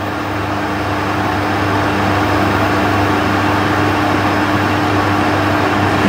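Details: Trotec TTK 75 E dehumidifier bought with a compressor that reportedly would not start, now powered on: steady even hum with low compressor drone under fan airflow, no rattles or cycling; compressor apparently running normally.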